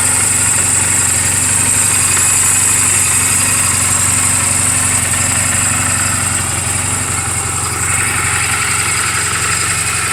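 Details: 2007 Honda Rebel 250 in neutral, oil just changed and valve clearances just adjusted; smooth, even single-note idle with a steady rhythm and no knocks or misses: normal idle.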